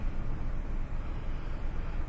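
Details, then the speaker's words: 2001 Toyota Sequoia 4.7 L V8 after fixing a P0300 misfire: deep even idle, no stumbles, misfire gone, check engine light no longer flashing. "let's go fire this bad boy up and confirm that the misfire is gone"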